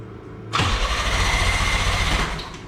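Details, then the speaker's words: 1987 Pontiac Fiero GT 2.8L with carbureted intake (possibly from an S10): about two seconds of cranking that never catches; carburetor not adjusted, and the float needle was later found missing its clip; crank no start. "it's just the carburetor is not adjusted"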